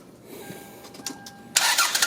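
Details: 1996 Toyota Camry on a cold, snowy day, aging battery, after fixing a bad battery cable connection: short chime, then the starter spins and the engine catches promptly into a steady run; normal start.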